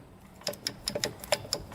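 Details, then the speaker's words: 2000 Honda 400EX that locked up in fifth gear, engine torn down: sharp, uneven metallic clicks as the bare crankshaft is rocked by hand, showing big up-and-down and side play and catching from worn bearings; needs bottom end. "look at that play there's up and down play and there's a ton of side to side play so that's not good at all and when you rotate it it actually gets caught in some places so i think the bearings are just junk in there"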